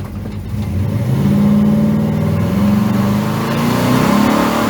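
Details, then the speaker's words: Truck on a test drive after fixing a dead cylinder, accelerating hard with a one-wheel peel: engine note climbs cleanly and keeps pulling with no stumble or missing beat; normal acceleration. "one ain't bad I think it's a lot better I can't get the traction but we got a you know one whe peel"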